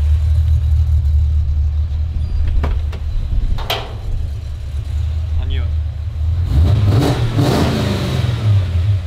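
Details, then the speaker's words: Holden HQ V8 after T5 conversion, service and new electronic distributor, while setting ignition timing: deep steady idle burble, then a couple of quick blips up and back; responds cleanly and runs well. "all right so basically we're just gonna make it match that anyway whatever it is and she's actually running really well at a minute it really is isn't it she's behaving"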